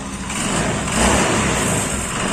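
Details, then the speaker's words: Motorcycle whose kickstarter had seized from running dry of oil, fixed without engine teardown: on restart the engine catches and holds a steady smooth beat with light rev swells, no knocking or scraping; normal running after repair. "Kita nyalakan munisinya. Oke, sudah berhasil."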